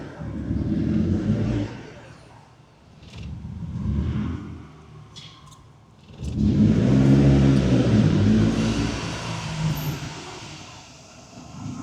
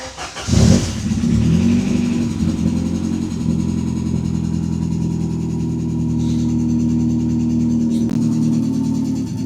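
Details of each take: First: Ford Sierra Cosworth RS during restoration, first road drive, heard from inside: the engine swells through several hard revs, turbo spooling audibly, then cracks and pops on the overrun. Exhaust popping on acceleration. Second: Ford Sierra Cosworth RS under restoration, first drive after reassembly: engine fires and pulls but revs climb sluggishly and hang low; it runs oddly and struggles to gain revs, no warning lights, cause not identified.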